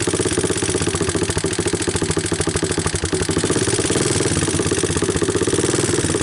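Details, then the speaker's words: 1988 Honda TRX200SX ATV, abandoned for years, cold start on a new PZ27 carburettor: an even single-cylinder thump at a slightly raised idle on choke, with light regular valve ticking near the camera and nothing knocking; a healthy idle. "here let me pick up the idle a little more I wanted to bring the camera a little closer so that you guys can hear the valves and all"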